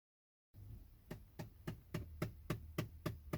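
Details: 2011–2014 Ford Explorer with sharp, even ticks about three or four a second from behind the glove box in a quiet cabin. It began a month ago and occurs when the car is switched on or off; the cause is unknown.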